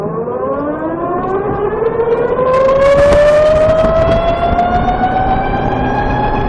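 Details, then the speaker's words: VX1 bike, warmed up, riding at lower speed under load: clear chirping whine rising steadily in pitch, usually worst in these conditions and brought out by hill climbs; owner suspects the transmission. "And the bike is warmed up now. This is when it's usually worst, at lower speeds under load."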